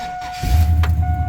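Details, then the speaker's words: 2001 GMC 2500 with 8.1 V8, new starter refitted after the old one's bolt backed out and it ground: short, clean crank with an even whir and no grinding; engine fires, normal starter cranking. "oh man super clean that's how it's supposed to sound that is that's how it's supposed to sound I hadn't heard it sound like that well not sound bad in a long time"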